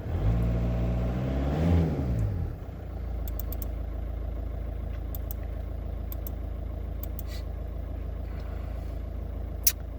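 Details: VW-group 1.9 TDI diesel after fixing the G28 crankshaft/engine speed sensor wiring (no-start, fault 000802/P0322): engine blips up smoothly for a couple of seconds then settles to a steady, even idle, no misses or knocks; normal revving.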